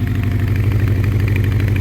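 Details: 1984 Honda CB700SC Nighthawk at half choke, warming up, won't rev, smells of fuel: lumpy, uneven idle with soft puffs at the exhaust; rough running, rings or carbs suspected, unconfirmed.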